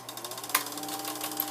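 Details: Vintage Kodascope Eight 90 8mm movie projector from the 1950s, huge cooling fan, switched on: rapid even mechanical chatter over a steady fan hum, no knocks or grinding; running normally, just very noisy.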